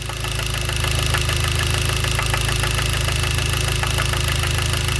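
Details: Hyundai Genesis 2.0T at idle: sharp metallic knock about three times a second; spun rod bearing after poorly made oil pump failed lubrication, with no oil light, pressure warning or limp mode.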